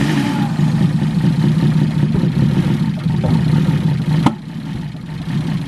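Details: BMW E36 after new knock sensors, cleaned idle control valve and correct timing, previously sputtering and backfiring: idle stumbles and lopes irregularly with uneven sputtering before shutoff; rough-running misfire, owner blames coils.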